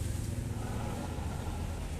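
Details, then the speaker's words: TVS Jupiter scooter after clutch pulley repair, idling: steady low engine hum with the earlier chirping from the clutch/wheel side gone; drive smooth and quiet. "Friend पास पास लेके आओ देखो बिल्कुल भी sound नहीं है इसमें अब पहले चिर चिर चिर चिर की आवाज थी तो आवाज बिल्कुल खत्म हो चुकी"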